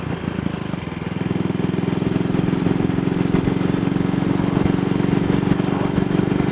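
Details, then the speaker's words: Single-cylinder motorcycle with Wassell Evolution (Amal Concentric Mk 1 type) carburettor, on a test ride after a twisted, dislodged needle clip was refitted: even, steady beat at 45–50 mph indicated with no skips. It runs clean where it previously misfired. "That's 45 miles per hour indicated. Almost 50. Well, this would have been accompanied by all sorts of jerks and pops yesterday, so I'm quite happy about this."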